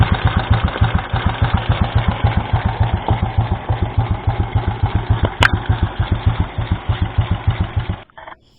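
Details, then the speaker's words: Yamaha Vega Force motorcycle that is hard to start and sounds rough, at idle: lumpy, uneven beat with a dry, clattery tapping; the valve clearance is far too loose, the valves are blackened and the cylinder block is scored and worn. "Nah, ini kerenggangannya sungguh sangat longgar sekali sehingga ini yang menyebabkan bunyinya kemetek."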